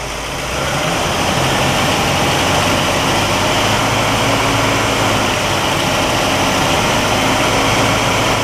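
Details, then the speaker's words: 1960 Pontiac Catalina 389 V8 held at raised throttle during ignition oscilloscope test, ignition reading good: steady strong roar without misses, stumbles or knocks; some static on the recording fades with throttle. Healthy engine revving. "runs good everything looks good on the oscilloscope the 1960 oscilloscope on the 1960 car"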